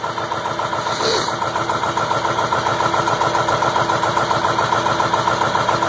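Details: 2002 Ford F350 7.3 Powerstroke diesel at about 34°F, just caught after an 8.5-minute hard start with glow plugs warmed 2–3 minutes, blowing white smoke. Steady diesel clatter at a rough cold idle; cause unknown.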